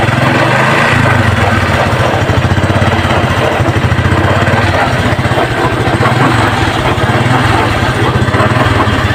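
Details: Honda XRM 125 fuel-injected engine knocking from under the engine in any gear: small single idling with a steady, rapid knock mixed into the firing beat, pointing to a loose, worn transmission bearing.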